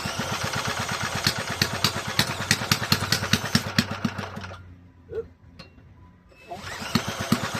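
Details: Toro mower model 18805 single-cylinder engine, reassembled with cleaned, repaired carburetor and new parts after sitting for years, running two-cycle fuel, slightly overfilled oil and smoking: popping beat that sags almost to nothing, then picks back up; governor still needs setting.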